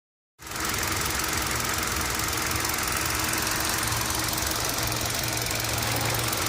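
Fast light ticking, roughly three or four a second, sits on top of the idle and keeps time with the engine; source not pinned down.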